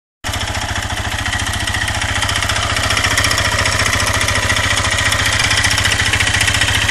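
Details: 2008 (K8) Suzuki 400 LTZ single-cylinder engine at idle: hard metallic clacking every revolution; teardown found scored, metal-torn cylinder and piston on exhaust side and a worn connecting rod big end with play.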